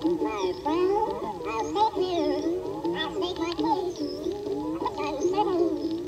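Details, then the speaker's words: Homemade record cut on a diamond turning lathe, played on a cheap briefcase turntable: the pitch warbles up and down every second or so. The lathe's velocity control couldn't keep up with changing load, giving inconsistent, too-slow cutting speed. "pretty bad so that was you know the load changing because it was running out and speeding up and slowing down and in general just not going fast enough so it sounds super creepy and distorted but it at least plays"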